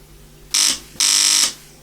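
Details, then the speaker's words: Tube amplifier external transformer power-supply build, relay driven from a tiny transformer in a simple test circuit: two short bursts of harsh, hissy buzzing with no clean click; the relay buzzes instead of switching. "yeah it is not really switching as you hear it's just buzzing"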